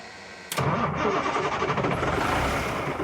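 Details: Old Ford diesel mobile-home mover truck, long parked: starter spins the engine with an even churning beat for a few seconds but it doesn't fire; later a little white smoke.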